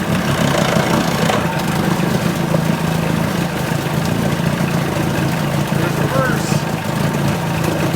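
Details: 1980 Chrysler 45 hp two-stroke outboard after the crank-no-start complaint, settling into a low, fairly steady idle with nothing off heard; nothing found wrong, and the owner likely skipped the fast-idle warm-up lever when starting.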